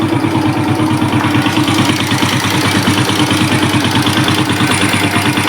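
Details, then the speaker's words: Suzuki Smash single-cylinder that smokes and runs rough when hot: a lumpy, uneven idle of about three pulses a second with the pilot screw at 1.5 turns, and it won't hold idle. Compression leakage or a worn carb is suspected. "Ini karbunya nutut ya, karbunya untuk langsamnya ini dapet. Nah, cuma ini kompresinya ya. Biasanya nih kalau kayak gini dikasih bocor ya, bocor kompresi bisa, karbu soak bisa."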